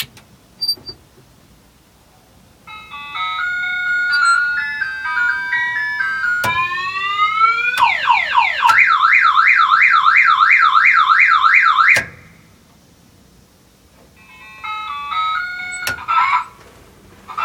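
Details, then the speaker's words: 1960 Ford F100 pickup: aftermarket electronic musical horn plays loud melodies, a rising sweep and a warbling siren. The horn works properly. "It's the horn my wife had to have, almost one of the most expensive parts we bought. I'll turn that on real quick and let you all hear it. It does all kinds of crazy stuff."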